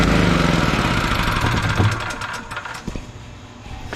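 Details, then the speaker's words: 5.7 hp, 2000-rated generator started the morning after a blackout-night run: engine note surges up and sags with stumbling pulses instead of holding speed; the low idle jet probably has debris and needs cleaning. "so what that means is that the um the low idle jet needs cleaning out probably got a little bit of in there"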